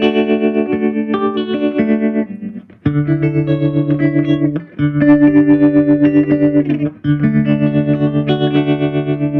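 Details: Gibson GA-40T Les Paul tube amp after repair of dead channel one, non-working tremolo, background noise and motorboating: clean warm guitar with slight breakup and a steady fast tremolo pulse, no hum or putt-putt. Healthy amp.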